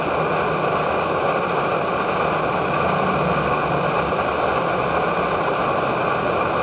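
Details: Edward Hexon backpacking stove on white gas (Coleman fuel), pressurized by a syringe in place of its pump, bringing 500 ml of water to a boil: constant, even hissing roar without sputtering or surging; running steadily at full output.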